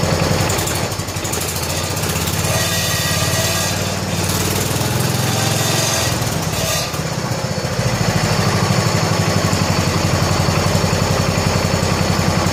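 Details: 1970 John Deere 140 H3 garden tractor single-cylinder just restarted after head gasket replacement (old gasket leaked severely): steady fast even idle thump, no knocks or misses, quiet, burning off some oil while warming up; normal idle.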